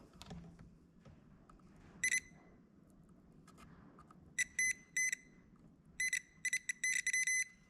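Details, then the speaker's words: Stihl 041AV chainsaw that sat years and wouldn't shut off. Ohmmeter continuity test between stop switch terminal and spark plug nut. Beeps cut in and out irregularly instead of a steady tone. Intermittent, dirty stop switch contact. "okay so what I'm doing is I'm putting I'm touching the other terminal basically to this metal nut and you can hear it's very intermittent which whenever you hit the stop button it start spitting and splattering"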